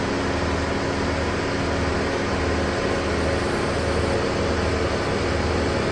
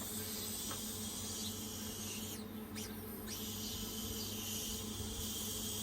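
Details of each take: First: Car at idle with AC on, windows closed, during DIY recharge after leak repair on empty system, hot day (28–35°): steady even hum with blower rushing air, unchanging; AC running normally. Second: Car A/C recharge with R134a: steady high hiss of escaping refrigerant at the charging hose/connection while purging before connecting to the car; leak at the connection suspected, not confirmed.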